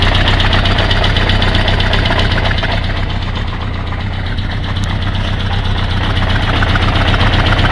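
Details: Kawasaki GPZ550 after head gasket replacement and rocker timing set: sharp, regular clacking about four times a second over steady idle from the top end; cam chain tight, owner doubts tensioner, cause unknown.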